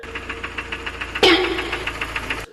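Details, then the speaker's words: Kia/Hyundai 2.0 engine running with a quick, regular dry ticking knock, about ten taps a second: piston slap from scored pistons and aluminium cylinder bores, blamed on missing oil spray nozzles; fix is fitting nozzles and iron liners. "果你的发动机产生了哒哒哒异响，说明你的活塞已经被拉伤了。如果你开的是现代跟起亚车型，那就是它的通病。"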